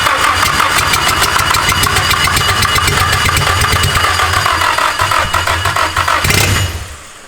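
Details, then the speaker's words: Nissan-engined Mazda Miata engine swap during first start attempts: cranks about three turns a second with a few uneven firing attempts but never catches. Owner suspects ignition timing is off and thinks a little gas would have started it. "All right, so we know the ignition timing's off. Yes, definitely, because, I mean, it kind of sounded better that time if you just gave it a little gas. I think she would have went."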